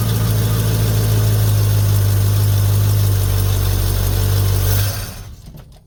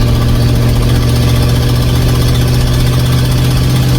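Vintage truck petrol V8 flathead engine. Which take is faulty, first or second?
second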